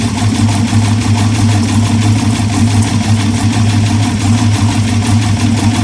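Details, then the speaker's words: Aluminum 6.0 LS (LFA) from hybrid Escalade, first test fire with MSD 6014 ignition box: loud rough idle with uneven clattery tapping and a slight miss, engine shaking; cause of tapping unconfirmed. "All right, so the motor does in fact run. It's definitely making some clattery noises."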